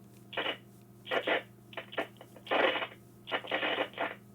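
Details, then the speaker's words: An HME HS6000 wireless drive-thru headset's failing microphone gives harsh crackling static bursts over a low steady hum when turned on; the mic needs replacing or rewiring. "See that noise? The static? That's why we need to change the mic or... Let me turn it off."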